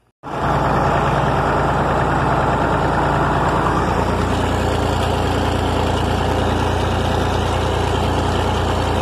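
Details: 1961 Massey Ferguson 35 Deluxe with the A3.152 Perkins indirect-injection three-cylinder diesel, pulling a Ford 309 corn planter: a steady, even low diesel thrum with no knocks or misses, a healthy engine under load.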